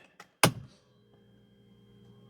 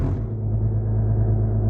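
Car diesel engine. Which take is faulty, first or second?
second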